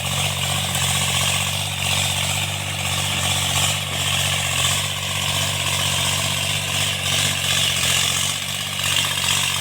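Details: Tractor diesel cultivating after an engine-knocking repair: steady, even drone with no knocking or irregular beats over outdoor background noise, running normally and healthy under working load.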